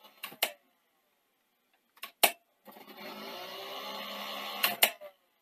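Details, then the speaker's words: Sony SL-C9 Betamax VCR with tape inserted: a few mechanical clicks then a high steady whir as the head drum spins far too fast; head servo fault causing drum overspeed. "okay so what we actually have is the heads going super fast"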